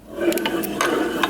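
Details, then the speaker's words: 2001 Polaris Xplorer 250 two-stroke ATV bare engine turned by hand gives a loud, rough, gritty whine with ratchety clicks from worn crank main bearings; rod bearing fine, crank seal possibly leaking. "Hear that like whining sound? Those are the crank bearings. They sound pretty loud, don't they? Should be a lot more smooth than that."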